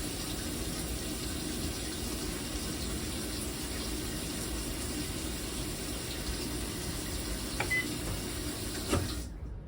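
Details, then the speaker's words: GE top-load washer in diagnostic test mode after motor replacement, cold-water valve step; steady hiss of water rushing in with an even low hum, no valve chatter or buzzing; normal cold water fill. "and the next one will say c that's the cold water turning on"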